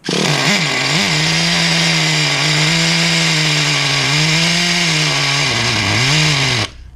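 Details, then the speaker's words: 2006 Traxxas Nitro 4-Tec 3.3 RC nitro engine after rebuild, idling through first tank: high thin buzz sags and wavers, then dies after about 6.5 s; keeps cutting out, appears to run rich with smoke on throttle; cause unconfirmed. "it just keeps cutting out. I want to run the tank through it all the way, but I also don't want to hurt this thing by trying to start it, and I know it keeps dying, so it's turning off for a reason."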